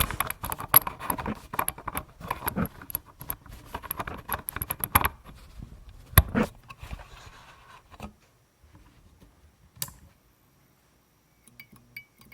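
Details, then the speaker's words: F6T5 preheat fluorescent fixture from eBay, microphone placed by the fixture, more vocal glow starter reversed in its holder. About five seconds of quick irregular ticking and clicking, then quiet once the tube lights: starter cycling normally, more blink-happy. "Oh, that's much more blink happy."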